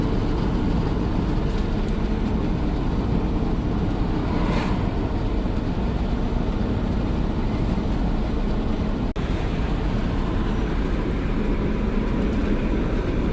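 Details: Dodge/Mercedes Sprinter diesel van on road test after a repair for being gutless, heard from the cabin: deep steady drone under road noise, no surging or flutter; no check engine lights, strong on hills and flats, boost and wastegate values as expected.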